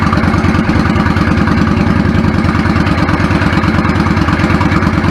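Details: 1999 Yamaha V-Star 650 Classic, 650cc V-twin with twin carbs, 16K miles, had sat unridden. After cleaning clogged pilot jets it idles on choke with a steady, loud, lumpy beat and runs cleanly without stumbling.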